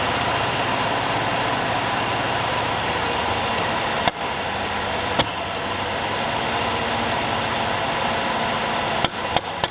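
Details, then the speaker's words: 1965 Buick LeSabre V8 first start since 1989 after oil change and fuel pump: uneven ragged running with sharp irregular bangs, running lean, choke won't stay on; owner suspects a blown power valve. "is there like a blown power valve or something it's running lean and it's also just bam combusting"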